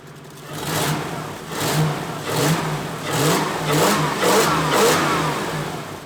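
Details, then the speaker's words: 1UZ V8-swapped pickup cold start at about -7 °C after new injectors and spark plugs, battery disconnected to reset ECM; cranks and catches with revs surging unevenly before settling, no obvious misfire, starts cleanly. "currently it's about minus seven degrees celsius or like 20 degrees fahrenheit so this is gonna be a cold start too so uh let's see how this goes"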